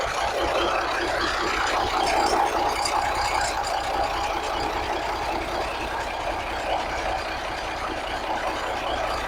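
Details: 1983 Kenworth cab-over, Cat A-model diesel, after setting injection pump timing and overhead; heavy diesel at steady even idle with faint blow-by hiss on top, no knocks or misses; owner expected the little blow-by; sounds healthy.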